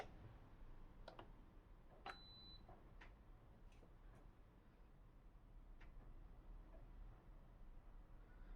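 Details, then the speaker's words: SMEG drip coffee machine that powers on and shows the time but won't brew, water added: a quiet room with faint irregular clicks inside as it tries to switch on the heater, with no heating; blown thermal fuse. "I can hear something clicking inside. I think it's trying to turn the heater on, but it doesn't do that."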